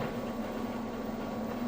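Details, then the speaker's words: Kenmore front-load washer moving from the wash into the rinse cycle: the drain pump cycles on and off with a steady, low, even hum; normal drain pump operation. "all right we're moving out of the wash cycle now it's kicking the drain on and off moving into the Rin cycle"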